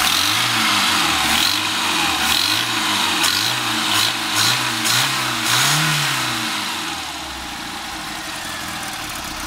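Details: Cooper MPI petrol engine blipped repeatedly: harsh sharp metallic knock each time the throttle opens, gone at steady or falling revs; source unidentified.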